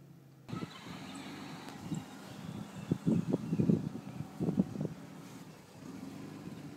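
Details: BMW E39 528i recorded outside after start-up: idle surges and dips unevenly with irregular bursts instead of a steady beat; rough hunting idle, MAF sensor suspected, not confirmed.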